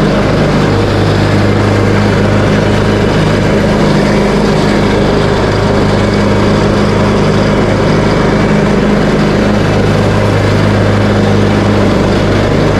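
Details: Craftsman T130 riding mower after repairs, started on choke, blades engaged: steady, even engine drone with blade whir under cutting load, no misses or knocks, running healthy.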